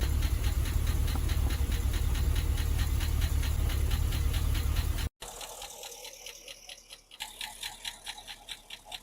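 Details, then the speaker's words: Holden Calais with L98 LS V8, auction car with a reported knock, idling: sharp regular metallic clink about three to four a second, located at the top of the engine; suspected valvetrain, unconfirmed, with another racket below. "It's definitely from that area. Definitely a mechanical clink from in here."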